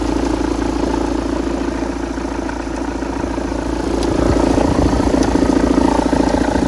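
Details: After flywheel replacement, at idle: steady idle with a regular light knock about three or four times a second over the engine note. Engine knock, cause suspected but not confirmed.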